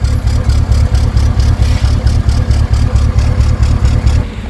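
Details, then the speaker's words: GMC fifth-generation 5.3 L V8 gasoline direct injection engine, coils already checked, no fault codes or check engine light: low, lumpy, misfiring idle with shaky vibration and heavy white smoke; mechanic suspects lifters or choked catalytic converter, unconfirmed. "इसकी सारी कइल वगैरह मैंने check करके देख ली लेकिन engine अभी भी सीधा नहीं चल रहा है यह देखो इतना मिसफायर दिखा रहा है और इंजन के अंदर एक घुटन सी है"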